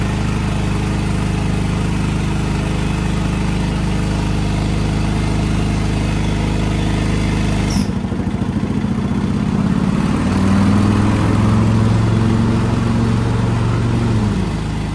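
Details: Craftsman DYT 4000 riding mower twin-cylinder engine: lumpy, lopsided idle with one cylinder missing. It runs on one spark plug. Weak spark or fouled plug suspected; compression check planned.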